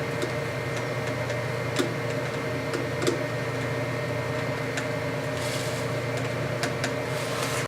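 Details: Ponder Labs Saturn 2 4x4 CNC stepper motor, moved to other connectors while chasing mid-job stalls; runs on its own with an even, steady whir, constant tone, light occasional ticks, no stalling or stutter; normal running.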